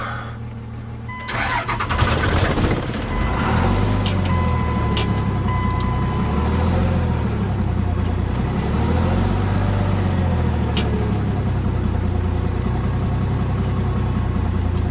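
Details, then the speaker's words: 2000 Dodge Ram 2500 5.9 Cummins 5-speed, sat three years, on a jump start. The starter cranks it evenly for many seconds but it never fires; only ether briefly runs it, and it's not getting fuel to the injectors. "Oh, need a jump. I'm gonna try it. It'll start. Sounds like it's not getting fuel."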